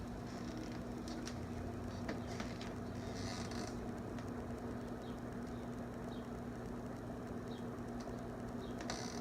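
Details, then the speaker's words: GE 5-wing box fan after motor service, blades on, grates off, reverse on high: soft steady low hum, faint ticking, quieter than before; normal running, blade hub slightly off balance and wobbling. "And high. It's quieter now than it was."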